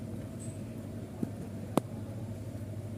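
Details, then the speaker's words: Freezer box not getting cold, with compressor (SK 182H L2UA, 1/4 PK) not working: side cover removed, condenser fan heard running, quiet steady low hum with a couple of light clicks; the fan is normal. "dan sudah nampak isi dalam dari mesinnya nampak jelas untuk find kondensornya aktif berputar"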